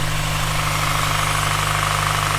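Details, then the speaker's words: Honda Prelude four-cylinder cold start after a fresh cylinder head refresh and coolant burp: busy, clattery mechanical noise over a steady low hum. Throwing one coolant temp sensor code but running solid. "Definitely a noisy one. It's throwing one coolant temp sensor code, which doesn't surprise me, but she's running."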